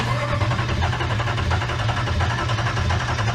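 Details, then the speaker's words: Hemi V8 swapped into a Jeep after a rollover, cranked with coil packs unplugged to prime oil before first start (oil had pooled after being upside down): even, steady cranking drone, no knocks or catches, turns freely; normal cranking. "i can't see oh it's cranking still good you're only going to crank it for like two more seconds and then we're plugging the coil packs back in"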